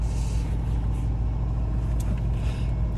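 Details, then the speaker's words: 1978 VW T2 Westfalia campervan, fully warmed up after a one-minute morning warm-up with light throttle: steady, even low rumble with a light throttle blip, no knocks or misses; normal warm idle. "Now that this you can hear. Now it's perfectly warm, so all good."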